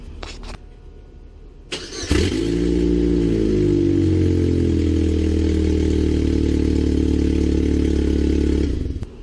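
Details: GMC Sonoma/S10 2.2L engine starts and idles with a rapid puffing tick, about four a second, from an exhaust leak: the downpipe below the manifold was loose and flopping around, not the manifold gasket.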